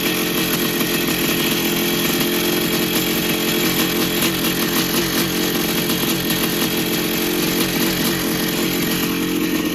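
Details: 1982 Yamaha YZ490 two-stroke after six-month rebuild with new bottom-end bearings and seals: loud steady crisp buzz, no knocking or rattle underneath, quieter than before; normal running.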